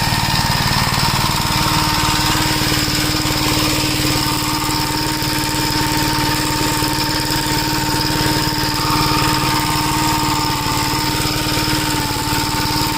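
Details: 1961 Gravely Model L tractor on a test drive after carburetor repair and richening: single-cylinder engine chugs at a steady speed with no hunting or surging, and the newly hooked-up governor holds revs properly.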